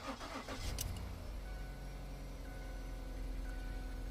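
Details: Ford Edge with a random misfire, after replacing badly worn spark plugs and the failed coil pack: the starter catches quickly, revs flare briefly, then it settles into an even, steady idle with no stumble; the engine sounds good.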